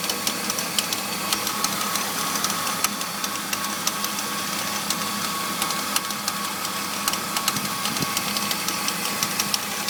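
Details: BMW E46 325i engine bay at idle: dry, uneven metallic rattle about once per second over a smooth idle, began after replacing pulleys, serpentine belt, radiator and power steering pump; something loose, cause unknown.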